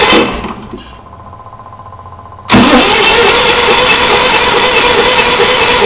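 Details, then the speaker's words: Onan generator, no gas smell at the carburetor: starter cranks with a fast, even churn but the engine never catches; spark confirmed, fuel pump found bad. "okay so not much of anything but that's what it was doing but the good news is is that we determined for sure that I had a bad pump and they determined for sure that I had spark"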